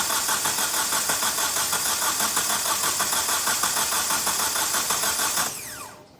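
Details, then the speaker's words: Hyundai i30, hard starting when cold since a head gasket replacement, no fault codes, cranked with the cam sensor removed: uneven, lopsided cranking at about 3 beats a second, one cylinder pushing back less. Relative compression check confirmed low compression. "so this one sounds like it's got a miss so we quickly grabbed the scope and we just did a relative compression check"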